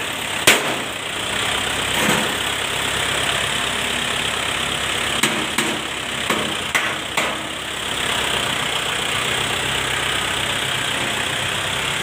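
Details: Shibaura SD4000A-D tractor after replacing the release bearing, clutch disc and pressure plate: an even, steady diesel idle with a few stray handling clicks. The engine settles and runs smoothly.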